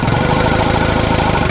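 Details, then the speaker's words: Diesel (rescued from Bulacan) idling rough and lumpy with shaking just after injection pump refit; misfiring because air is still trapped in fuel lines at the injectors, vibration expected to clear once air is purged. "medyo palyado pa siya kasi um meron pang hangin dito yan sa nozel medyo ano vibrated pa yung kanyang makina"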